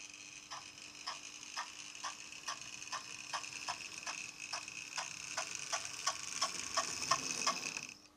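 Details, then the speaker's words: B-12 class model locomotive, converted from DCC digital to purely analog after being jerky: faint steady primitive motor hum under even clicking about three times a second from the tender; it now runs smoothly back and forward. "I say running smoothly you can hear the motor it is a very primitive motor"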